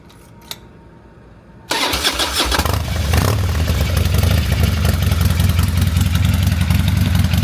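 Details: 20+ year old carbureted Harley-Davidson, revived after sitting with new fluids, fuel lines, carburetor and bars: quick crank and catch, then deep lumpy potato-potato idle near 160 beats a minute settling steady; healthy start.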